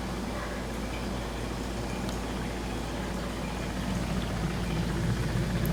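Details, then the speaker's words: GE dishwasher after repair, reassembled and run for a while, now drains quietly with a soft, steady low hum and no grinding, rattling or knocking; before the repair it made a racket in drain mode, blamed on something in the waste basket. "all right it's been running a while it's been quiet let's see if it's quiet when it drains"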